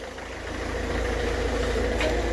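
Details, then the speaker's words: Ford Figo diesel after replacing the faulty injector (formerly code P0203): smooth, even idle with a steady low rumble and no knock or miss; all cylinders running cleanly. "कोई इसमें कड़कड़ नहीं कोई इसमें engine में missing नहीं एक साथ लेके चल रहा है इंजन"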